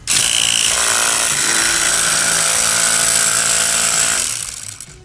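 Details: Stanley jump starter box with built-in air compressor, running with cover open: loud buzzy rattling drone at about four beats a second, steady then winding down; worn or faulty compressor piston.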